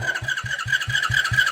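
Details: Mini Tao-Tao 100cc ATV, sat a year after dying: steady chug of the starter about five times a second, never catching; cranks but won't start, spark confirmed, so fuel or mechanical timing suspected.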